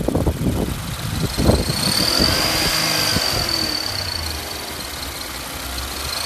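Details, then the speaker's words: Infiniti Q50/Q60 Red Sport drive belt squeal: high thin screech over the running engine at 2,000–4,000 rpm depending on throttle, possibly at idle too, not turbo spool; owner suspects overtightened factory belt tension shredding belts. "make sure you got turn the radio down to hear guys and no I'm not talking about the turbo spooling you'll hear a screeching noise"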